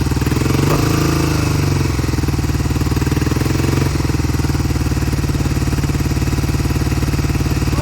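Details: 1971 Triumph T120 650cc twin, cold start after long storage: uneven, lumpy idle with the left cylinder dropping in and out; owner says it clears when warm.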